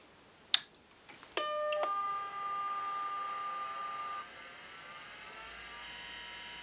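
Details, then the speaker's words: Macintosh 512k with 64k ROMs and internal GCC HyperDrive 10MB ST506-compatible hard disk (1985): after the startup chime, a steady high whine and soft hum from the spinning drive, not a fan; normal running noise. "you can see there's a there's a fair bit of noise this noise you're hearing now is not coming from a fan this is coming from this hard drive here"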